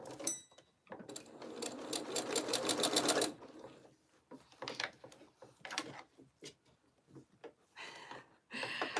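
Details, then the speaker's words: Sewing machine stitching through thick fun fur on a small snowman craft; fast regular ticking about four per second as the machine labours under heavy load. "Can you hear my sewing machine ticking? It's working hard this morning. This is definitely a thicker thing to sew."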